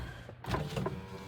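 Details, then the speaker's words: Honda Element after a door wiring harness repair, tested with the door closed where the intermittent fault occurred: short clean window motor whir with no grinding or stalling; windows go up normally and the problem is fixed. "that one also works it does go up this one also goes up I'm going to call that fixed"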